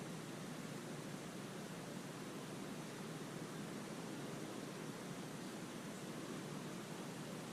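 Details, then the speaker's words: Slab leak test with SubTech ST-2000 leak detector, water system pressurised with air compressor: steady, even rushing hiss, loud and close through the ground; water escaping from likely failing iron pipe under the slab. "Wow, look at that. You can hear it really close. It was unbelievable. Shut it off. I'm saying the leaks right here because it was, maybe it was running down."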